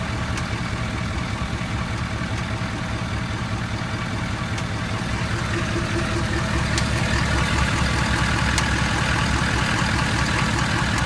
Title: Clicking noise ford 6.7